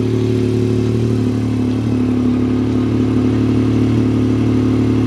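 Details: Salvage vehicle at a Copart yard, in neutral; unclear why it's there, maybe rolled: steady even idle with low drone and mild valve clatter, no knocks or misses; "sounds damn good", normal idle.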